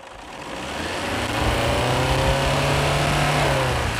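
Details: Toyota Hilux Tiger diesel after engine treatment for long cranking and white smoke, smoke tested 35.8% passing: picks up smoothly and holds an even steady roar under revs, no knocking or misfire; normal revving.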